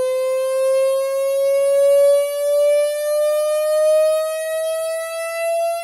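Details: Samsung HW-Q800A soundbar connected via HDMI to an Insignia Roku TV, placed on a bed: steady pure tone near 550 Hz slowly climbing in pitch; electrical buzz from the soundbar itself, cause not confirmed.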